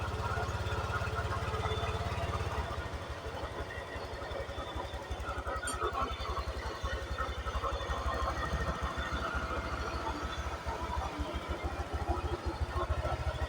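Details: Honda Vario 125 scooter after refitting the TPS sensor to cure MIL blinking 8 times; no MIL blinking at start; steady, even low putter at idle with no misses or knocks; normal idle.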